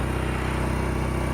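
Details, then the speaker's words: Genmax GM10500iETC tri-fuel inverter generator on propane, wide open at max 3600 rpm: steady, even drone with a regular exhaust pulse and no knocks or misses. Running healthy. "But honestly, not too bad, and this is wide open, really. Honestly, it sounds good to me, so what do you guys think?"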